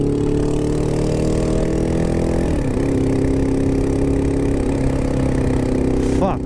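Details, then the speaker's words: 2002 Honda CBR600 F4i motorcycle: rough lumpy idle with a dip in revs, sounds like a lawnmower, losing power; knocking or misfire suspected, cause unknown. "She's knocking. I blew it up. Oh yeah, she's losing power. Misfiring or knocking or something. Sounds like a fucking lawnmower."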